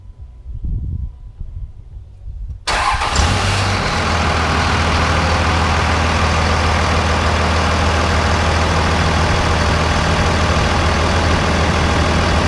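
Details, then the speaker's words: 2001 Dodge 24-valve Cummins diesel before installing a Banks Ram Air cold air intake: cranks, catches and settles into a steady, even clatter with low drone; turbo barely audible, almost no whistle from engine bay or exhaust tip. "all right so you guys can see we have no turbo whistle pretty much at all I mean you can hear that it's there the turbo is in a existence but you can't really hear any turbo whistle whatsoever coming from the engine or the exhaust tip"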